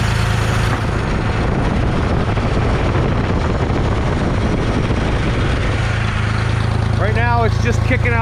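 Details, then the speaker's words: 1974 Ford 3550 industrial tractor, sat 18 years, coolant bleeding while checking for overheating, idle deliberately high to warm up: deep even rumble at raised idle, steady beat, no stumbles, knocks or smoke; normal fast idle. "it doesn't need sitting there running pretty good it doesn't smoke or nothing it just it just sits there and idles pretty good i know the aisle's a little high but that's okay i want a little high right now just so it warms up"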